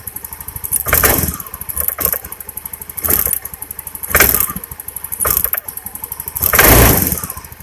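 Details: Honda Beat injection scooter misfiring (brebet): rough, sputtering engine surging and stumbling about once a second with each rev; spark arcs out of the plug cap, whose metal clip is missing, to the engine; spark plug also damaged.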